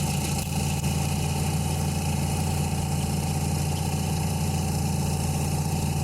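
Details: 1984 Nissan 720 pickup, Z24 carbureted four-cylinder, 250,000+ miles, carb serviced 2 years ago, after replacing possum-chewed spark plug wires: deep, even idle with a steady low drone and no ticks, knocks or hunting. Normal idle.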